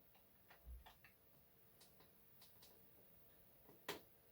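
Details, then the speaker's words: Used eBay camcorder, tape mechanism failing to record: scattered dry ticks and one sharp clack with no steady drive whirr; the transport won't engage and makes weird noises. Cause not confirmed. "there might be a jump cut in a minute but there might not don't want to record make some weird noises"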